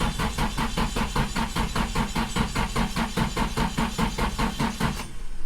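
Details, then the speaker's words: Built SR20 in an S14, first start with open downpipe and leaking turbo elbow, jumped from an F250 after the starter signal wire fell off: strong, even cranking about 2.5 pulses per second, no start yet; normal cranking. "all right sounding good we're just gonna let it crank for a little while longer just to make sure we build"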